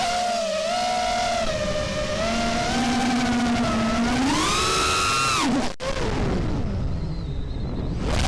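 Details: RDQ 2205 2450kv brushless motors on a quad, flying fine, but on playback the whining motor tones swoop with throttle and have an odd wavering pitch; cause unknown: unusual motor noise.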